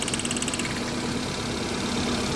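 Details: Hyundai Santro Xing small petrol engine at idle with an irregular stumble and lumpy, uneven pulses, a suspected misfire; cause not confirmed.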